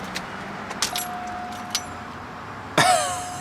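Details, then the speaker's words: 1983 Cadillac interior: steady high electronic chime, then a fresh ding as the key goes in, sounding like walking into an old convenience store; normal key-in-ignition warning chime. "it sounds like you're walking into an old convenience store when you put the key in it"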